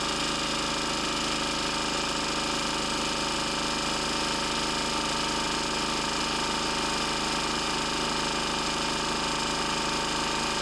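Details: 1994 Lister Petter AD1 single-cylinder diesel 5 kVA generator, 3000 rpm rated speed, running after a cold start following 8+ months unused: a steady, even diesel clatter with no misses or knocks, running smoothly under its own power.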